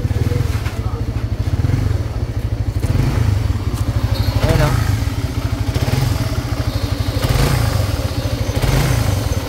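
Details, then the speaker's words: Single-cylinder motorcycle idling, engine heats quickly and head is noisy: heavy, regular metallic knock every turn, pinging like piston slap, suspected from the connecting rod pending teardown. "usually kas pag malakas yung mga gany stone slap nanggagaling yan sa connecting rod"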